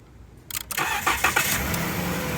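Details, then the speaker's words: 2013 Dodge Caravan with hard starts, faulty fuel pump relay in the TIPM jumped/bypassed: short crank, catches cleanly, steady even idle, no stumble; starts every time, confirming relay not fuel pump or pressure regulator. "starts perfect every time we've done this about 10 times now so this is confirming that the relay is the problem with the fuel pump not the fuel pump not the fuel pressure regulator"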